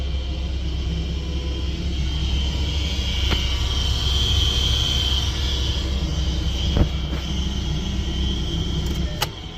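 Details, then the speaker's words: 2013 Ford Mustang (S197) HVAC blower under the glove box, super loud: constant rumble with a steady high whir; blower motor suspected failing, water seeps in when the drain plug isn't removed. "Air conditioning blower, I think, is going bad. You can hear it, it's super loud."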